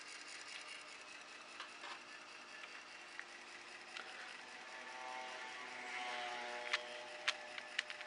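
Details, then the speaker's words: Amiga A500 with a PC floppy drive fitted, green drive light on: quiet even whir with faint steady tones and a few light clicks as the disk spins; drive running normally. "I've got green light on the death Drive you can hear things whirling away"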